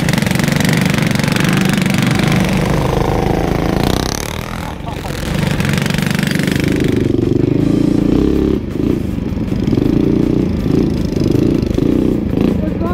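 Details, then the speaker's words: Kids' 125cc automatic mini ATV after new carburetor and cut exhaust header, riding in mud: hard buzzing, revs sag and labour then pick up again, "absolutely struggling"; engine bogging under load. "uh that is absolutely struggling isn't it that's really weird"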